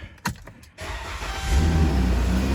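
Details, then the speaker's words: After a few handling clicks, a smooth low idle hum with no harsh drone or rattle on a 2013 Chrysler Town and Country after an open end of the exhaust pipe was sealed; much quieter though not perfect, normal exhaust note. "See, much quieter. So yeah, it's not perfect, but it's a lot quieter than what it was."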